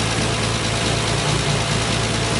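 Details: 1968 MGC idling evenly with a smooth low beat and no misses or knocks, after fixing a no-start that followed fitting a refurbished distributor and new coil; the bad coil was confirmed as the only problem.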